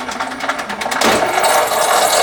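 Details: Subaru Sambar rear sunroof after repairing its controller module, whose relays clicked but would not run the motor: a light rapid ticking gives way to a steady, even motor whir as the sunroof runs normally.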